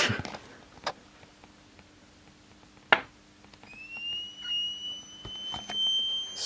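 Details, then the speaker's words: Mid-1930s vacuum tube radio under restoration, mouse-damaged paper caps, radio section not receiving: a few taps then a thin high whistle near 3 kHz that rises and holds; squeal traced to faulty 6B6 tube. "I've discovered a new problem that has to do with the 6b 6 which is right in here yeah this one and you'll hear it"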